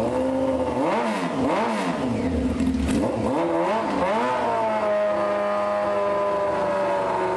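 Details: 1995 Honda CBR F3 first start, wet plugs, fuel spraying, no muffler: loud open-pipe bark with swooping blips, settling to steady, slightly uneven idle; sounds solid though rich.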